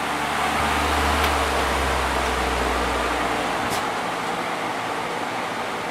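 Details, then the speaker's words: Vintage Dayton 12-inch HV fan after motor cleaning, oiling and clean blades: even airy whoosh over low steady motor hum, no rattle or scrape; running smoothly, likely moving more air. "It's probably blowing more air now that the blades are clean."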